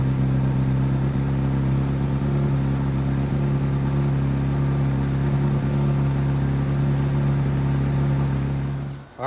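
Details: 2008 Honda CBR600RR after charging system repair, battery 12.2 V, multimeter connected: smooth, even idle holding steady pitch for several seconds before shutoff; charging fixed; normal idle.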